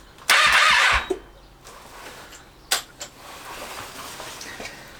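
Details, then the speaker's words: 2012 Triumph Street Triple 675R non-starter, no coolant: one short whirring crank burst under a second, then stops dead. Starter quits after a few turns, cause unknown. "Now let's do that thing where the starter stops after a couple of turns again."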